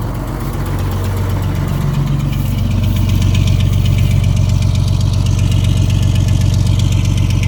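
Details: Old diesel truck, cold weather, fitted with muffler, just started on new batteries: deep even clatter about three pulses a second, no misses or knocks; healthy idle.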